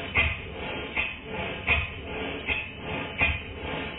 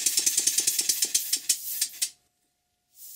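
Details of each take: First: Model steam engine for a Stuart 504 boiler plant after valve timing was reset for early admission before bottom dead center: even exhaust beats, a little over one per second, running faster and more powerfully. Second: Model steam engine gives sharp, hissy knocks about eight a second that slow and stop; the valve timing is off, and the piston rod gland and a drain are also blowing slightly.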